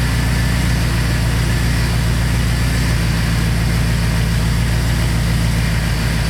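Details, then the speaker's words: 2002 Chevrolet Silverado 2500HD, just fitted with a new ACDelco power steering pump replacing a rebuilt unit, idling in the shop: smooth, even idle with no whine or groan; the pump sounds quiet and healthy. "sounds pretty good guy I'll to see how it goes outside"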